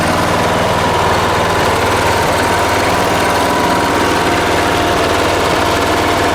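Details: Late-1980s John Deere RX95 riding mower, after reconnecting the fuel line to the carb: steady, even run with a smooth, unbroken beat and no knocks or misses; sounds healthy.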